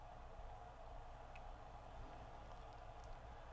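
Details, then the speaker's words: Sony CFS-B11 boom box (1996) cassette motor on 9 V DC bench supply after belt replacement and motor lubrication, now humming quietly and evenly with no squeal; it previously squealed when play was pressed. "And the motor is running nice and quiet now. So I'll let that run for a moment or two while I go ahead and clean that capstan pulley off."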